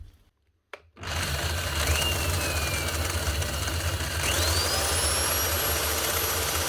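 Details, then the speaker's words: Cement-encrusted Bosch GRW 12 E mixing drill with a loose whisk: the motor runs rough and gravelly, with a wavering whine over a coarse low rumble, from worn, failed bearings. "badly but yes right looks like bearings"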